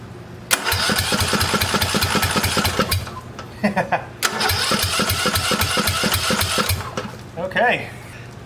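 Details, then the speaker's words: Old Yazoo mower with a swapped-in John Deere riding mower engine, powered by a spare battery owner doubts is heavy-duty enough: even starter chugging, about seven beats a second, not catching; slow cranking, battery lacks juice. "yeah it doesn't have a lot of juice"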